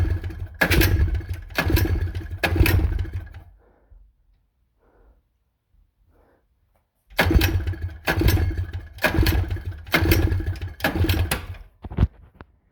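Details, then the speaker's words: Two-stroke engine that won't start after about 50 pulls in 30 minutes: ragged firing bursts about a second apart die out, then more sputtering catches. Owner suspects it needs a new spark plug; a fuel valve was also leaking a little. "i' been pulling on that for like 50 times now in the last 30 minutes I think I need a new plug"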